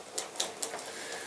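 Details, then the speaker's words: Axial AX10 Deadbolt RC crawler, steering servo failed after driving to end of street: quick light ticking about five times a second with thin buzz between, gears heard slipping; servo burnt out with stripped gears, to be replaced with spare. "And we maybe got as far as the end of the street and then the steering had just gone. The servo's burnt out. You can hear the gears, but it's just..."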